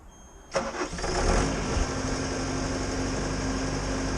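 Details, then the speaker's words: Bobcat after the fix for the squealing: quick crank, the engine catches and settles into a smooth, even run with no squeal; normal start and idle. "Good. No more squealing. Seems to be pretty good."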